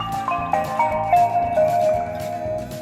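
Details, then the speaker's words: Nissan Leaf (2013–2019) powering on: short bright bell-like melody of rising and falling notes signalling the car has switched on; factory sound selectable in menu. Normal startup chime. "І так, вмикаємо машину. Як чуєте, одразу йде звук, що сигналізує про те, що авто увімкнулося і тому подібне."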